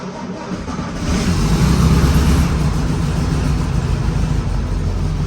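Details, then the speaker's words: 1964 VW Beetle cold start in the garage; short cranking, then it fires right up once the choke cable is pulled fully out, settling into a steady, low, even idle; normal cold start. "there we go didn't have the choke should said it didn't have the choke cable pulled all the way um yeah so see when you actually choke it fires right up"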